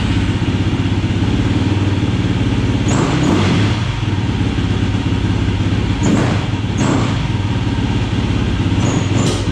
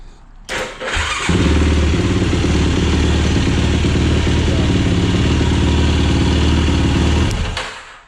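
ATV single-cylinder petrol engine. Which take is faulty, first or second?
first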